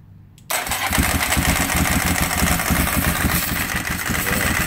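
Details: Ducati 748 bored to 853 with a big bore kit, first start after the rebuild and after fixing a fuel leak: it catches at once and settles into a fast, even idle with steady firing pulses; healthy start.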